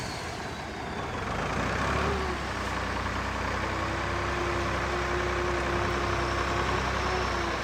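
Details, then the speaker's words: Kenworth twin-steer truck diesel, fuel pump previously stuck, now revving freely for the first time in years: heavy roar rising and holding smoothly without stumbling or hesitation; normal free revving. "all right if you heard me revving it like that that was I've never been able to do that for the last couple years well since I've had it gone again of course that the fuel pump was stuck but sounds like she's freed up quite a lot which is good"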